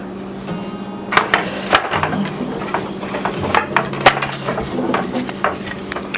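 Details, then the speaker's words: Restored old wooden barn loom being woven on: irregular hollow clacks, clanging and banging from loose joints in the dried-out wooden frame; joints need tightening and shimming. "you can hear it clanging and banging and that's what we gotta we gotta tweak up a little bit we gotta tighten up some of the joints and make it uh more sound"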